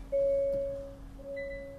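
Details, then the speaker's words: 2023 Hyundai Santa Fe started and put in reverse; two clear chimes over low cabin hum signal a rear parking sensor error or blockage, checked by listening with a stethoscope for each sensor's ticking; sensor to be replaced. "we get parking sensor error or blockage, obviously on the rear."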